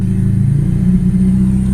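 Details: Mitsubishi Eclipse idling with a manual boost-controller bleed added for cold-start idle, valve closed; low, even idle rumble holding steady with no hiss or hunting, back at normal stock idle speed (opening it raised idle about 100 RPM).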